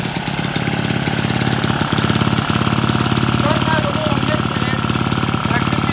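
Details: Vintage Lauson-powered jump starter, rope-start single-cylinder left outside long, floods easily, transmission fluid put in and left overnight; owner suspects a sticking valve freed: steady even firing about three to four a second, no misses or knocks; normal running.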